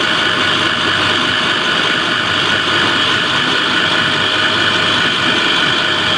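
Steady loud running hiss with a sharp tonal edge from the air end and no clear rhythm; abnormal air end noise, cause unclear.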